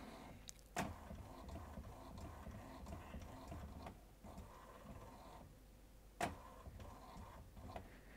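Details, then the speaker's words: HP PhotoSmart All-in-One printer (C6100/C7200 series, e.g. C7280) running its printhead alignment after an internal media-sense sensor calibration: soft low motor churn with occasional clacks as paper inches through; working normally. "i don't know if you guys can hear that but it's churning and chugging away here and it's inching the paper through as it does this aligning of the cartridges or lining of the printheads i should say"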